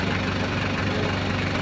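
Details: Toyota Hiace 1KZ-TE diesel, normally cranking with injector pump ticking and no start, here running properly at idle with an even low rumble and regular clatter while the pump control valve signal is scoped.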